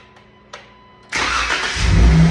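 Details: Jeep 3.6 Pentastar V6 after failed rocker/lifter repair: quiet clicks, then the starter catches and it fires cleanly into a steady, even idle with no ticking; running normally after the repair.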